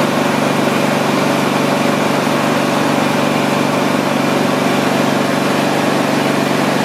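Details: Husqvarna YTH24V48 riding mower test run after replacing a failed starter solenoid with a non-original one: loud, even engine drone holding steady speed with no misses or surging; running properly after the fix.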